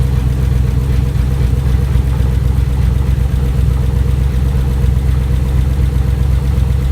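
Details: Rebuilt GM 5.3L V8 after replacing a bad lifter, first crank after final assembly: low, steady idle with an even beat and no knocks or ticks on top; engine sounds healthy and smooth.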